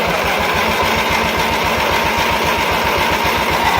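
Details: Baby Doe John Deere tractor after fuel system work, fuel pump running constantly, started with throttle and choke: fast, even putter from the small single-cylinder engine with no misses or stumbles; running cleanly now.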